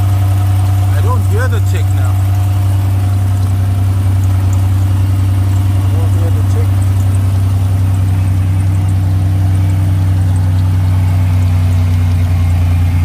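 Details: 1980s turbo Buick barn find idling after struggling to restart: steady, even low idle with the previously heard tick no longer present; runs smoothly briefly, then shuts off by itself.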